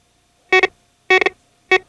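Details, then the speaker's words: Garrett GTA 350 metal detector set to accept only one earring and reject all other metal: three short mid-pitched double beeps in a quiet room, signalling an accepted target. "just set your GTA 350 to accept only this piece of jewelry, and it will reject all other metal targets."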